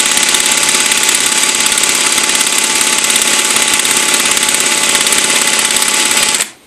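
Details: Redcat Racing VX 16 nitro RC engine, sat for years; new glow plug, igniter, fuel line, gasket, coupler, air filter, carb cleaned, compression good, primes: high buzzy starter whir turns steadily for six seconds, engine never fires; cranks but won't start.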